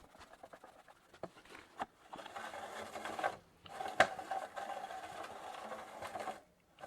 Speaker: and the chain is terribly rubbing against the chain guard so that will need some tweaking